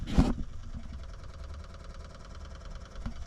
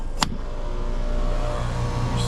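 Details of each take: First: Two-stage heat pump, nearly two years old, after repair with harness replugged: quiet rapid evenly spaced ticking over low hum as expansion valve motor does its reset; normal EEV reset. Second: Two-stage heat pump, nearly two years old, failing in cold weather in second stage; compressor amp draw fine. Jumped out, suction pressure falls 95, 89 toward below 50; single sharp contactor clack over hum, contactor apparently bumping on low pressure trip.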